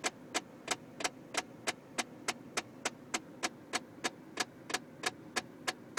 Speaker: I have no idea what that is. It almost sounds like something trying to get out of there.